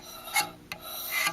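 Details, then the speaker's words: 2002 Craftsman air compressor 919.167310 motor, about 2,000 hours, after replacing front motor bearing and connecting rod bearing: short scraping rubs in bursts as it turns over; owner suspects connecting rod pressed too far, thinks it's fine. "a little noise there though I don't like I might have went a little too far with the uh pressing that crankshaft in I mean uh connecting rod but it looks pretty straight I just kind of eyeballed it it sounds like it's it's rubbing it's not hitting anything so I think it'll be fine"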